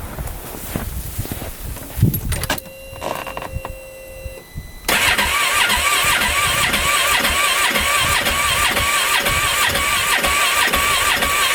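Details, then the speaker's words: 2015 Polaris Ranger 570, freshly rebuilt about an hour earlier, shut off in snow in sub-zero weather and won't restart, backfiring: starter whirs with uneven rough chugs about 3.5 per second but never catches; a dead fuel pump was suspected. "you guys listen to it turn over and see what you guys think it sounds pretty rough"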